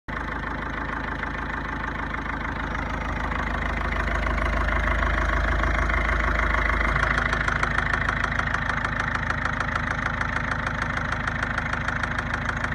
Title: Стучит двигатель ford focus 1.6 d 2009